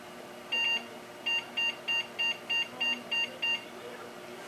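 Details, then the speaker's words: Packard Bell case with a 600MHz Pentium 3, 256MB RAM and a 16MB Voodoo3 at power-on: one long beep then eight short beeps, a POST error with no boot; suspected Voodoo card unseated, floppy cable backwards or dead CMOS battery. "that sound ladies and gentlemen means that it does not work and I failed"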